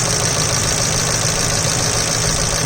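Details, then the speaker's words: 2002 Mercury Grand Marquis with Landi Renzo LPG system, idling in LPG mode once evaporator reached operating temperature, hood open at the injectors. Fast even ticking like valve slap over steady idle; normal LPG injector clicks as they admit fuel. "yeah the thickened glory of the elephant you fuel injectors has been cured their work this is the sound of the injectors"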